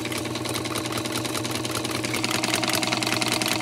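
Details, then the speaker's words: Unserviced sewing machine at full power before cleaning or oiling key points: rapid, fairly regular clatter about two and a half beats a second; runs sluggishly, likely dry, though not horrible. "all right so again listen to it at full power this is full power it's not horrible it's not absolutely horrible"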